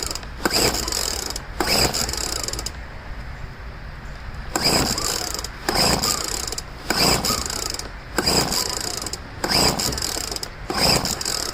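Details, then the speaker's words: Poulan two-stroke leaf blower, first start of year after about five months' storage, cold day, primed and choked: repeated recoil pulls about a second apart with no firing; won't start, owner suspects flooding, then finds spark plug very dry. "Should have started by now. One problem, I don't have a backup blower. I usually like to have backup equipment. I don't know if I flooded it, maybe."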